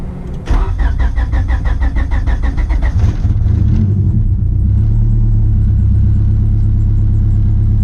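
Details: Honda EG hatch with an H2B turbo swap, freshly completed and awaiting a tune: cranks for about two and a half seconds, fires and catches, then settles into a deep, steady idle with no knocks; normal start and idle.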